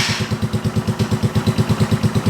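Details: 2017 Polaris Outlaw 50cc kid ATV, bought secondhand, fire-up holding rear brake: small single idles with an even quick putter, about eight beats a second, steady and smooth; healthy cold idle.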